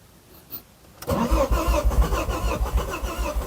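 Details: 2006 Ford Focus ST225, first start attempt in over a year during a build: starter churns in fast uneven low pulses about three a second without the engine catching; cranks but won't start.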